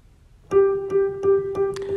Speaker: all right I hear a definite click I bet it's a loose Hammer